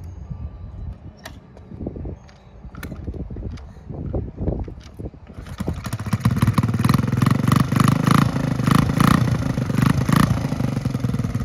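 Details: 1969 Honda Z50 (Z50A) mini bike, after full tune-up, oil change and valve adjustment, on a test ride. A little cold at first; small single picks up after a quiet start and pulls with a steady, even buzz. Running and riding good.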